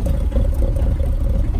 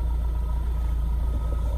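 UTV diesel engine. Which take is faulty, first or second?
first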